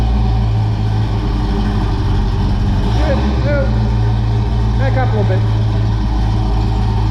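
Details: 1978 Pontiac Trans Am V8 idling cold-blooded on old exhaust before new Pypes mufflers: deep steady low drone dominating loping idle, heavy boom; drone unbearable in cabin with T-tops in and windows up.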